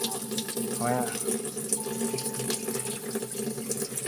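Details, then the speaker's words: LG top-load automatic inverter washing machine after a part was replaced to fix very weak water filling: a strong, steady rush of water into the tub with no sputter or drop-off. The inlet flow is normal. "okay na grabe nagpalit ako ng piyesa. Baka may kong confiy [Musika] narinig moung tubig malakas na"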